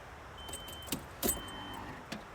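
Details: 1997 Nissan D21 Hardbody, 107,000 original miles, runs fine with no engine lights: faint high whirring tone comes and goes at the passenger-side firewall after key-on, with key jangle and clicks; sounds almost like a CD changer, source unknown.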